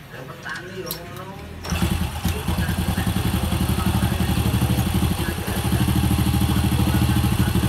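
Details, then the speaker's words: Honda Supra motorcycle after cam chain roller and sprocket replacement, carburetor still slightly troublesome: it starts after a short crank and settles into an even idle with no top-end ticking, plus the model's typical rapid exhaust pulsing. Normal idle. "ya cuma ciri khas daripada motor ini yaitu kayak ada suara sering-sering seperti itulah beda sama Grand sama legenda ya rasanya itu di knalpot ada suara yang sering-sering gitu itu ciri khas motor ini"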